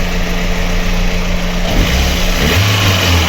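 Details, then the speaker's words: VAZ 2112 with a 1.6 petrol engine: lumpy, stumbling idle from misfire on cylinder 4, with no overheating and the head gasket intact. Compression was tested and the diagnosis is a burnt valve. "Попередньо зробили діагностику, пропуски по четвертому циліндру. Чуємо, як двигуну погано."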